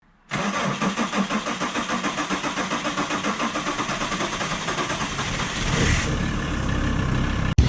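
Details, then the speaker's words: VW T4 Transporter 2.5 TDI AJT/ACV five-cylinder diesel with original Stanadyne injectors: a long run of steady cranking pulses, about five seconds or a dozen cranks, before it catches. Starting has got progressively slower, with no fault codes and timing set, so the injectors are blamed. "progressively the van has taken longer and longer to fire up I have no fault codes the timing is set"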